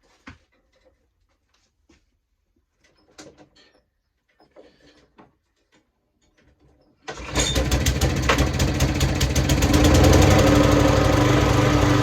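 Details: Hayter 41 lawn mower, cold start after repair of a faulty cable (had conked out, wouldn't run): fires and settles into a steady, even idle, ticking over lovely; normal idle.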